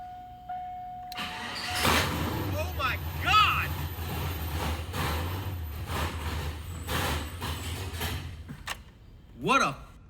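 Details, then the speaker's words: Turbo NBS Chevrolet Silverado first fire-up, very loud: engine catches and blips, then runs with a choppy, cam-like lope that is not the camshaft but massive vacuum leaks, with no vacuum in the engine whatsoever. "What you're hearing, though, you might think is camshaft. It's not. It is all of the vacuum leaks."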